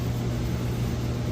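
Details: Central AC condenser unit after capacitor and fuse replacement following a power surge that stopped it. Steady low electrical hum with even fan whoosh, no buzzing or cycling; house cooling again, normal running.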